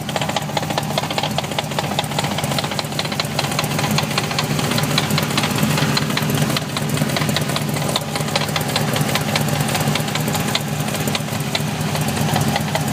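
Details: BMW E30 with V8 and 5-speed gearbox idling: an uneven knock of about two to three per second over the engine; the gearbox is suspected, not confirmed.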